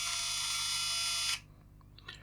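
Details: Fujifilm Instax Mini camera opened for the flashing-orange-lights fault: thin, steady high-pitched whine held over a second, then cut off cleanly; flash charging normally.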